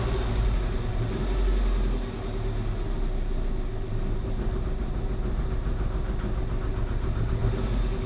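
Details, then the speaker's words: 1988 Saab 900 Turbo that sat a long time, now idling lower: with the throttle almost floored it stumbles, a deep steady drone that never rises. The engine bogs under throttle; the owner suspects the cheap fuel pump or the fuel injectors. "look how that's come down now it stumbles though when I try to give her gas is it our super cheap fuel pump"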